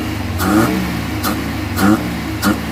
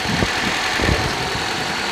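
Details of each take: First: Suzuki Carry, gasoline/LPG, idle about 1000 rpm (900+ with A/C), on gasoline; complaint of shaking, overheating, only reaching 60: short rev blips about every half second that bog and fall away instead of climbing; stumbles on both gasoline and gas, cause not confirmed. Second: Suzuki Carry that won't accelerate past 60, running on petrol at idle before switching to gas system: steady, even idle with soft low thumps, no misses or hunting.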